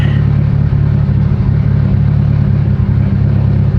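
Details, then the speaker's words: Mitsubishi Evo 8 after engine build and lifter bleeding, warmed 15–20 minutes to operating temperature, oil pressure good, not overheating: loud, deep idle with a slightly uneven, lumpy rhythm but no dropouts or misfire; healthy, just lopey. "yeah there's no misfire it's just a it's just a very very lopey car"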